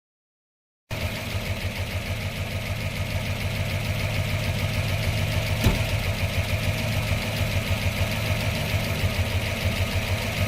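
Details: 1997 Pontiac Trans Am WS6 LT1 V8 with P0301 code, cylinder 1 misfire at idle: uneven, lopsided beat with a stumble about three times a second; long tube headers, 1.65 roller rockers, fuel pressure slightly low; injectors and plugs checked good, Opti under suspicion.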